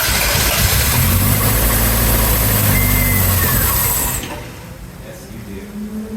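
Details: 1987 Toyota MR2 revived after sitting, fresh gas added: engine catches and roars about four seconds, then drops to a steady even idle with no misses; normal start and idle.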